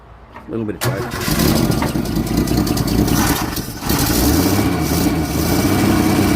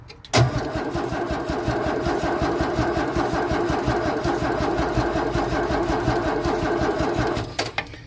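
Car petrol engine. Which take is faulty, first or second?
second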